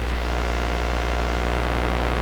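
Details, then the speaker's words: Sparton 1567 tube radio (45 output tubes) after power-supply filter change to lower excessive B+ (now about 200 V); constant low droning hum under output, possibly present all along, cause unconfirmed. "that's what there was a bit of a hum there but it may have been there all along"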